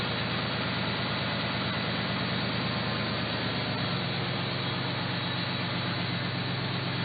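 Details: Factory Five XTF truck with a new tune, pulling away: steady, even engine note with no rattle or buzz from the exhaust, which rattled here before; normal exhaust, no rattle.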